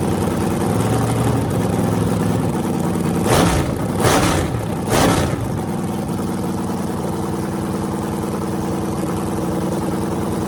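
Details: Freshly rebuilt small block Chevy 350 (355) on a run stand, restarted after refuelling, open headers, temps about 107 front, 76 back, plenum 69°: steady even idle with three quick throttle blips returning cleanly to idle, no knocks or misses; healthy.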